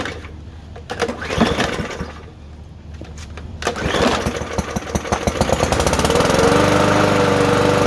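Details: Lawn mower after carburetor cleaning and new primer line, primed, gas back in, cover off: a few pulls and sputters, then it catches and settles into a steady, even run at constant speed; mower running properly now.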